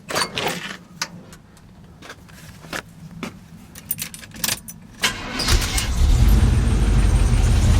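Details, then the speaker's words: Squarebody Chevy V8 truck in 48-degree shop, just fitted with used, slightly fouled spark plugs: clicking and handling noise, then fires about five seconds in, runs steady with solid low rumble; normal running, may clear up more. "those are used plugs too a little fouled looking so it might clear up more running"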